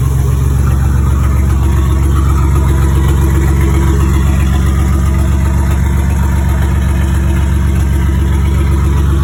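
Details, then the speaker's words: Turbocharged 4.3L V6 GMC (Psyclone-style build) at a normal idle just after start-up: a deep, steady, even low thrum with no knocks or misses, smooth and healthy, sounding like a V8. "sounds pretty good sounds like a V8 sounds good"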